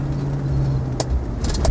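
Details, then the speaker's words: Land Rover Defender 90 50th Anniversary on a test drive: steady, smooth, quiet engine and road drone with no transmission or driveline backlash or clunking when backing off. Universal joints were possibly recently replaced; the passenger seat rattles slightly, maybe a loose seat bolt. "very smooth very quiet exactly the way 50th should be backing off the transmission drive train there's there's no backlash or clunking or anything from the transmission at all it's all exactly as it should be from that point of view"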